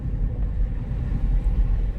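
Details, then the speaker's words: Mercedes E-Class W210 3.2 CDI diesel donor car idling in neutral: deep rumble surging and sagging unevenly, hard misfiring rough idle; runs smoothly with a little throttle or in drive or reverse, cause still unknown. "А именно жесткое троение мотора на нейтралке, на холостых."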